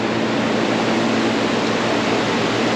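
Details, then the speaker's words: Modine gas shop heater, first firing after repair and pilot warm-up, thermostat set to heat 80: steady, even burner roar with fan behind it, no popping, flutter or cycling; much bigger flame than expected, normal burner operation. "And it's on. That should scavenge all the dust. Ooh, much bigger flame than I anticipated."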